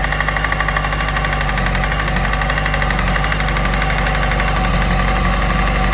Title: Yamaha YZF R1 RN19 2008 Engine Knocking